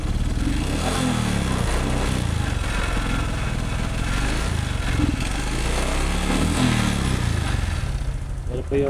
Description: Another case of negligence on the part of the rider, dried up engine oil which causes a metal to metal friction of the piston and lining and produces a crazy noisy engine sound.